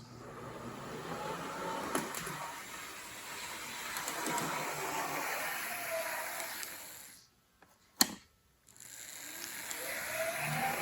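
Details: O scale NWSL Stanton drive (can motor, worm gears to axle gears), after break-in, bushing deburring and axle adjustment, analog test at higher speed, 6 to 9 volts: even steady whir, no knocks or binding. Normal smooth running.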